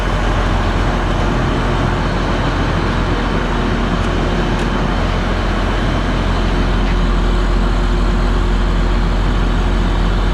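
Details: Case IH 2388 combine diesel started after annual service (fresh oil and filter change, new air and fuel filters), left idling: steady, even deep rumble with no knocks or misses; normal healthy idle.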